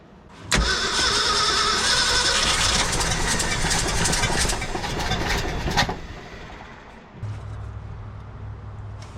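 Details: 1966 Ford F-250 factory 4x4 truck, cold snowy morning: starter churns slowly and unevenly for about five seconds then dies away; dragging crank from a battery running flat.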